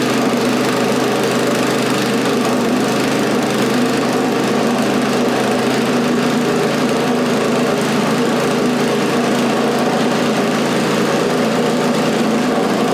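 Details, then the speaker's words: Scrap snowblower's small single-cylinder engine after a new carburetor fit reusing the old throttle shaft and butterfly: runs at a steady, even speed with no misses, surging or knocks; normal running. "Okay, so as you can see, it runs pretty well actually."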